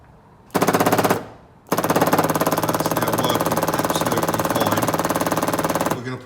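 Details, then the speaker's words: 1964 MG Midget electric fuel pump, repaired on bench after not working and powered directly from battery: rapid, even machine-gun ticking starting crisply each time power applied; pump now working normally. "we've put them back together, put it on the battery, and it all seems to be working and clicking."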